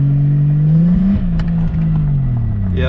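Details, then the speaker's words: Lexus IS300 with 2JZ-GTE single-turbo swap and six-speed, fuel system replaced, new OEM coil packs fitted; driving near the driveway, engine sags and stumbles, still cutting in and out, then check engine light comes on. Owner suspects the igniter. "it's still doing it is still cutting in and out"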